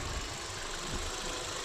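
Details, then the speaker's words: Audi TT 8N 225 just bought, idling; uneven idle with irregular low thumps under constant airy hiss, idle not right, seller reported a vacuum or air leak, to be addressed. "we're having a listen, and obviously you can hear that the idle just isn't right. So that's one thing we'll be addressing."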